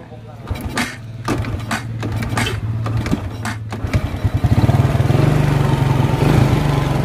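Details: Honda Karisma/Supra X 125 carbureted single, just started after replacing the cam chain with an aftermarket Federal chain and tightening the cover bolt: a few cranking clicks, then a steady, even low idle with no top-end rattle. Normal idle.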